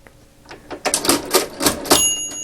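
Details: 1921 Monroe Model K mechanical calculator after oiling and reassembly, doing division: crisp, evenly spaced clacks from the crank and carriage shifts, then a clean bell ring; the mechanism cycles freely.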